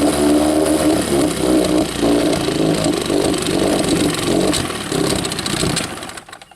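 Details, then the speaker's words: Rebuilt 1963/64 Evinrude 40hp two-stroke outboard, out of gear, restarted with a little throttle and choke pulled: ragged running with irregular coughs before dying away, the "Evinrude sneeze"; mixture adjustment tried next. "It's got an Evinrude sneeze. That's what they call the Evinrude sneeze. That's when they start coughing at you."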